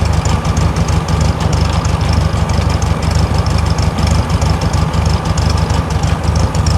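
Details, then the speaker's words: 1964 VW Beetle 1600cc, air-cooled flat-four, after setting base timing at 10° (34° total): slow, deep, slightly uneven putter, idle substantially too low, before re-adjusting. "Because as you can hear, probably, she has a substantially lower idle."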